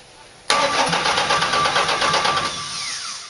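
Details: Chevrolet 4.3 V6 swapped into a Land Rover Series II 109 with an NV3550: steady, fast starter cranking about three beats a second, turning freely but never catching, maybe one faint pop.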